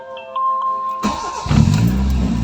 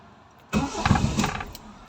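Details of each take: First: Toyota Corolla 2E engine, after fitting a new idle solenoid for an idle that dropped and stalled: the engine cranks, catches and settles into a steady, even idle with no hunting or stalling. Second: Toyota Corolla: engine catches with a short burst of firing, can't hold idle and dies again. Cause is a faulty idle solenoid, which is to be replaced with a new Corolla-specific part. Stalling after start.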